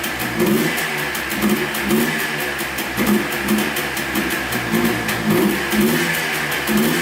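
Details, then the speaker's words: Yamaha Blaster two-stroke quad after a transmission rebuild, running without its air filter: the buzzy idle sags and picks up about twice a second, as if starving for fuel; the missing air filter is suspected. "Well, it runs pretty good. Not too bad. Sounds like it's starving for gas a little bit here. It could be due to the air filter not being on."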